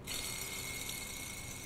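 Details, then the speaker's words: Car AC compressor magnetic clutch pulley: steady gritty whirr with a high hiss over the running engine, constant with rotation; worn pulley bearing, lubricant gone and balls broken, early symptom that can go on to damage the clutch centerpiece and magnet. "Untuk magnet sendiri sebenarnya ada gejalanya juga, bisa dari ada bunyi kasar dulu. Bunyi kasar dulu itu misalkan seperti ini."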